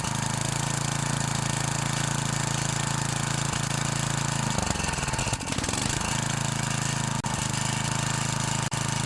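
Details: 9 HP Tecumseh Snowking snowblower engine on its first test run after connecting rod replacement and new Champion RJ19LM plug: steady even single-cylinder putter at fast idle, briefly shifting with throttle then settling; running smoothly and healthy.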